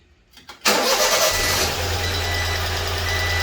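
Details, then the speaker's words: Honda Acty after valve cover gasket and distributor O-ring replacement, which had caused a no-start with the distributor 180 degrees out: after flipping the distributor, a brief crank and the engine catches into a steady, even idle with no misses. Normal start after repair. "There we go. Flipping that distributor 180 degrees. Fixed it."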